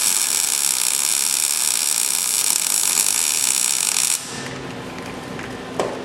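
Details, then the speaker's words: MIG welding upside down on the inner lip of a car quarter panel after turning the machine down: a steady, even, crisp crackle like frying bacon for about four seconds with no popping or spatter. A clean, properly set arc. "Okay, did you hear that? How crisp that was? Wasn't a bunch of popping and spattering and going on."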